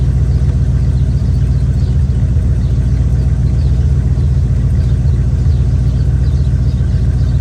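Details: Chevy square-body barn-find truck, automatic V8 (called a 350), after timing set by ear and a distributor, carburetor and ignition tune-up: deep, steady idle with an even lope, no misses or knocks; motor running decent.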